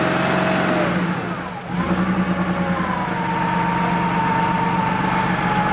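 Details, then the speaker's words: Porsche 3.2 Carrera after chasing a high, unstable idle, oxygen sensor still cold and warming up: idle dips briefly, then evens out into a smooth, settled pulse, idling much better, settling in normally. "settling right in like it should"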